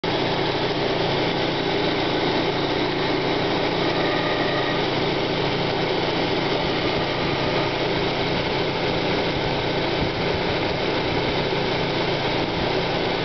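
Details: 1995 Plymouth Neon Sport DOHC at cold start: steady idle with a rough, gritty grinding from the belt drive that fades as the engine warms up. Timing belt walks on its idler pulley; owner suspects idler bearing or water pump, unconfirmed.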